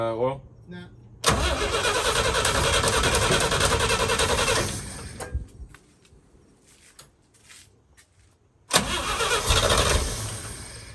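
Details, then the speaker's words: 1966 International Harvester 1100A BG 241 pickup, first start after 24 years stored, new battery and points: engine catches, runs loud and steady a few seconds, stops, fires again; won't yet idle, owner suspects fuel next. "all right we got it started that's nice big deal woo that's a big big deal"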